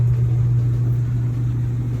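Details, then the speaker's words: Amana dryer after teardown repair of a loud squeak and loose drum, running after reassembly: smooth steady low hum from the drum with no squeal or scraping; sounds like new. Normal running. "Sounds like a brand new one."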